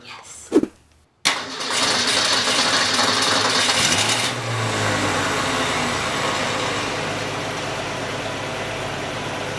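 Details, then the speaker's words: 1965 Ford Falcon with new engine, start-up after tightening both drive belts and fitting a six-blade fan: cranks, catches and settles to an even idle with no belt squeal; the start-up squeal is fixed. "no squealing okay so that was the only time we've ever started carl with this belt not squeaking and that was amazing"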